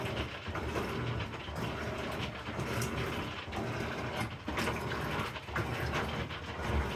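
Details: Amana NTW4519JW3 washer bought new in July 2023 and still under warranty, during agitation: quiet churning with irregular dry crackles and snaps about once a second; the cause is unknown.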